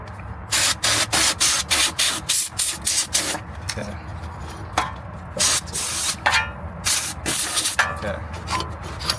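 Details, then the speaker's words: Nissan 350Z Fortune Auto 500 coilover, ride-height collar spun: gritty, rasping crunch in quick bursts about three a second from dry, dirty threads; lubricating the threads makes it much quieter. "spin it on see us it spins freely hear that crunch that's not good that's why we do this going to come back out a little"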